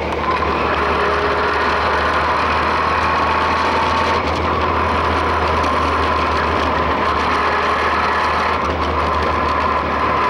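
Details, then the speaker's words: 1966 Volkswagen with a used transmission, road test in fourth gear at high altitude in mountains: thin constant whine riding over road drone at cruise; ring and pinion gear noise in the transaxle. "it's got a little ring and pinion noise there fourth gear is a little you hear that"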